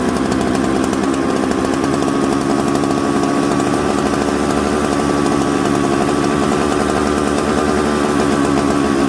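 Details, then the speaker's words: Mixmaster chainsaw built from Jonsered 630 Super and Husqvarna 266 parts: a smoky, burbly, uneven four-stroking note with a bumble off idle, because the low-speed jet is too rich. The low jet was then turned in. "so you hear how smoky it had a little bit of a bumble off idle so what i did was i turned the low jet in"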